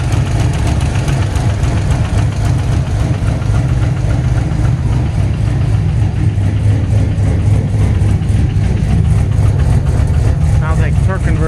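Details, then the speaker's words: First start, base tune, temporary transfer case, two exhaust clamps missing: deep, slightly uneven idle with faint fast ticking; exhaust manifold leaking, converter bolt contact, later fixed with new header gasket and bolt. "Gonna have an exhaust leak. I'm missing two clamps."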